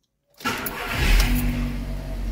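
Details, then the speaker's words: First start of the morning, cold; starter catches quickly and settles into a slightly raised, even idle: normal cold start with fast idle. "Primeira partida da manhã, olha só como é que o carro fica"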